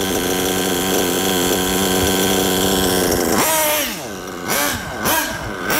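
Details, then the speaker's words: Nitro RC buggy engine with low-speed needle set very rich: wavering, burbling note that won't settle, lazy throttle blips that sag back, lots of blue smoke and almost no acceleration; over-rich low-speed mixture. "listen to that very rich setting lots of smoke and pretty much no acceleration"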